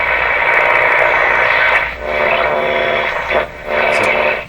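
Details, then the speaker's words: Philco 38-C7 tube radio on AM with an antenna connected, before the antenna ground is attached: a rough, rumbling hiss dipping and returning in patches; a local interference signal of unknown source. "this noise this funny rubbly noise is something I hear in my shop all the time on the M radios it's a signal in here don't know what it is"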